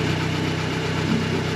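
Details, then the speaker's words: 1965 Clark Cortez motorhome Dodge V8, first start since valve stem seal replacement, carburetor just cleaned: smooth even burble with steady low pulse, no rattle or clank, though said not to sound strong; runs then stalls shortly after. "हे भगवान, यह बहुत अच्छा लग रहा है!... मुझे इसके बारे में पता नहीं है? मुझे लगता है कि यह करता है! कोई खड़खड़ाहट जैसी नहीं है, कोई क्लंकिंग जैसी नहीं है"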